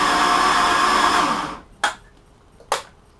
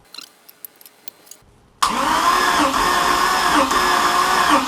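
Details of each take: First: Mercruiser Chevy-block boat engine, compression test with throttle open: starter spins with smooth, even whir and no compression beats, no load at all; cylinder holding no pressure, leaking. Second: Compression test on a Mercruiser Chevy-block boat engine, fogging oil sprayed in, gauge on cylinder one reading about 152: starter whirs with even, regular compression pulses, none weaker; healthy cranking compression.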